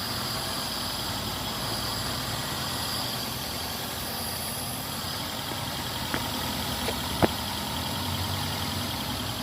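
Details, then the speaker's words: Daihatsu engine that had cranked but would not start, now running after a check without a scanner: faint, steady idle with an even beat under a hissy background, no misses or knocks, a normal idle. "है अभी फिलहाल गाड़ी start है"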